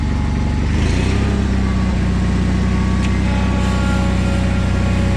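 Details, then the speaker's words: John Deere 317 garden tractor after reassembly, PTO tested, on a short drive: low even burble at steady speed, no knocks or misses; runs smoothly and healthy. "engine's got a nice little burble to it"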